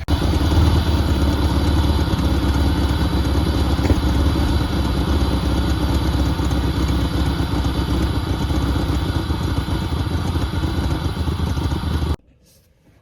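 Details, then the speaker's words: 1988 Pontiac Firebird 2.8L GM V6, 230,000 miles, first start after about 13 years sitting, oil unchanged; steady even low rumble, no knocks or misses: normal running. "surprisingly even after we had it running for about two minutes it still had almost 50 pounds of oil pressure which is a good sign"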